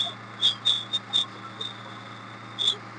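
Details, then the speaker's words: Maruti Suzuki Omni idling after start, with a belt-like high thin squeal from the clutch area that is gone with the lever held pressed and returns or flares in chirps as it is released or moved; worn clutch release bearing. "Press ചെയ്ത് പിടിച്ചു കഴിഞ്ഞാൽ sound ഇല്ല, വിട്ട് കഴിയുമ്പോൾ sound വരും."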